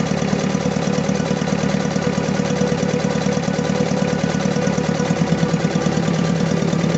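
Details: Diesel engine with low power, black smoke and vibration, idling with an uneven beat and periodic stumbles about one and a half per second; misfire from a fuel system fault that needs fixing.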